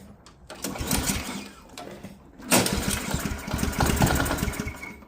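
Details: Ariens Professional 21 snowblower, Ariens AX 208 engine, 3.6 hours, sat years with bad gas: with gas poured down the carb throat it catches and runs rough in uneven bursts, then fades; carburetor starving.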